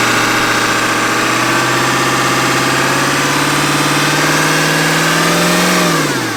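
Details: Ford E350 4x4 van, 7.3 liter diesel, just started, not yet at operating temperature. Steady even clatter at constant idle, no misses or knocks, then winds down; normal smooth cold idle.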